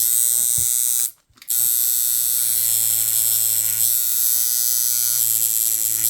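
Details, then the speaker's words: Coil tattoo machine with lengthened stroke, 90 Hz at 36% duty, voltage lowered to about 7.5 V: buzzing hum whose note sags and roughens under load; bogging from too-low supply voltage. "So you can hear it's starting to get a little bit of a bog."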